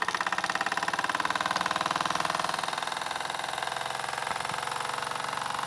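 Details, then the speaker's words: Mamod FE1 live steam model fire engine fired on fuel tablets, running on the desk at about 4 minutes with the boiler not yet at full temperature. Quick, even chuffing with no knocks, and the RPM rises as the water heats and makes more steam. Normal running. "And you can actually hear the RPM starting to increase as the water starts to get hotter and create more steam."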